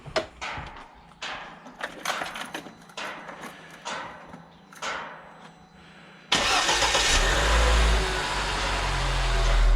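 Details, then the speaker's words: Lada Niva 21214 after tightening alternator and power-steering pump belts: a few clunks, engine catches and settles to steady idle with no belt squeal, battery light off. "порядке, индикатор заряда батареи не горит. Визга не было слышно."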